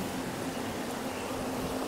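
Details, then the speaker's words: Proton Persona, hum while driving even with a large exhaust, loud inside the cabin despite the radio: steady low hum under grainy rushing noise, traced to a worn rear wheel bearing. "Nampak tu kuat eh bunyi dengungan dia tu."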